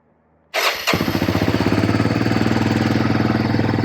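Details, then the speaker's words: 1992 Honda Fourtrax 300 ATV after starter replacement: quiet, then starter catches and engine fires straight into an even idle of about four pulses a second; starts cleanly, confirming the old starter was bad. "it obviously was the starter um happy the kids will be thrilled that they can um crank it again"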